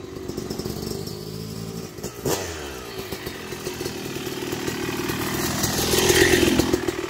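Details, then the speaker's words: Yamaha YZ250 two-stroke (270cc/250cc) motocross bike after a full engine rebuild (bottom end, transmission, bearings, clutch, power valve), street break-in ride: crisp pull through gears, revs dropping and climbing cleanly at shifts, no rattle or misfire; smooth shifting, normal running. "man it shifts like butter i mean it is so silky smooth oh my goodness even better than it was before"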